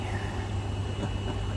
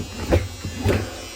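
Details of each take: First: Maytag Bravos washer after replacing the gearcase and stripped basket hub (bad bearing, wouldn't spin to high speed), codes cleared: low, even agitation rumble with no grinding, knocking or squeal; running normally. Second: Maytag Bravos top-load washer that wouldn't spin up to high speed: low, rough buzz swelling twice in quick surges, the growl of a bad tub bearing; fixed by changing the gearcase and basket hub.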